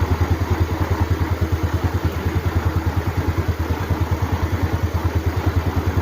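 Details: Motorcycle idling after starting on a new DAYWAY 5L battery (12.56–12.68 V standby): steady even low putter about three pulses a second, no misses or knocks; voltage rises to 13 V, regulator charging, healthy engine.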